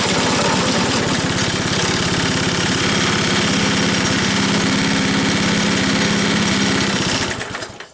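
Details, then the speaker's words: Troy-Bilt Trail Blazer sickle bar mower single-cylinder engine, next to no fuel in it: quick, even popping holding steady for several seconds before fading out; starts and runs fine. "And has next to no fuel in it. So I'm shocked she stayed running for that long."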